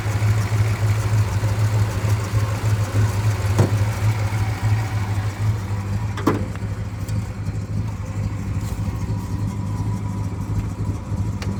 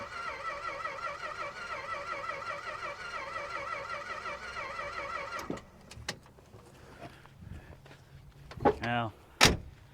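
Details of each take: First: 1962 Dodge Custom 880, once said to have a cracked block, running after a carburetor prime: steady, even low rumble with no misses, knocks or stumbles; owner doubts the block is cracked, engine runs really good and no longer smokes. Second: 1962 Dodge Custom 880 said to have a cracked block, first try after battery fitted, oil in crankcase, carb cleaner: starter whirs steadily about five seconds, no start; spark found barely present and weak.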